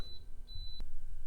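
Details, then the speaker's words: Viqua IHS-12 D4 UV water purification unit just installed with sediment and charcoal prefilters: two sharp high beeps, short then longer, in quiet room; unit signalling low voltage. "okay so that beeping was a low voltage or something it said so i had it plugged"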